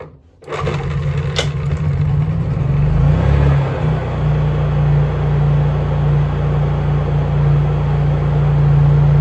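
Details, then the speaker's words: Honda EU3000is inverter generator, sat a while with old gas, pull-started on choke; low drone rising and dipping every few seconds, dies as choke pushed in; suspected carburettor issue. "and there's that Surge and as you can see the farther I push that choke in it does not want to run"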